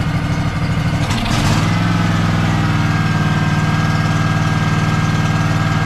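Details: Craftsman DLT3000 lawn tractor, factory Honda 16.5 hp engine, previously no-start, started with manual choke via temporary piggyback solenoid: cranks briefly, catches, settles into steady even idle about three beats a second, no stumbling; runs fine.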